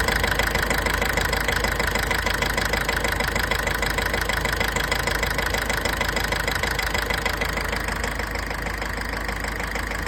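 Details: Mitsubishi L200 4D56 diesel at idle: sharp, even knocking about three times a second; attributed to nozzle injector problem, unchanged fuel filter and poor fuel.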